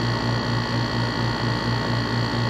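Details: Dometic rooftop RV air conditioner with cover off: steady even low hum with a soft airy whoosh, normal running sound; the rattle with cover on came from the Freon return line rubbing metal-to-metal through a worn cable clamp.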